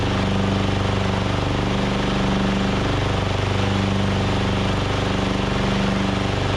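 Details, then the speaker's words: Craftsman DYT4000 riding mower, Briggs & Stratton engine with new fuel pump and deck belt: steady run about three beats a second, mostly smooth with slight lilt; slightly uneven, owner thinks carb still needs work. "i still think that carb needs a little bit of work but you guys can hear it's running a lot better and a lot smoother"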